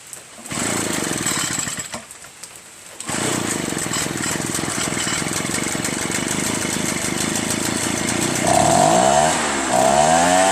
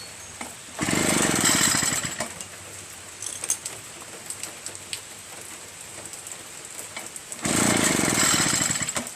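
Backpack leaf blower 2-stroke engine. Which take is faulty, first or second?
second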